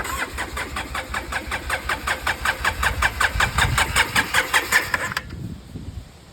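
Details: Polaris 700 quad, cranked on a weak battery with throttle: steady starter cranking about 2.6 turns per second for five seconds, never catching; cranks but won't fire, fuel pump suspected, not confirmed.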